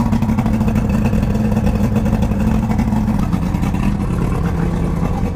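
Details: 1999 Johnson 200 hp carbureted two-stroke outboard, cold start at about 70°F after choke and priming procedure: busy, even buzz holding steady at light throttle, no stumbling or misses. Normal running.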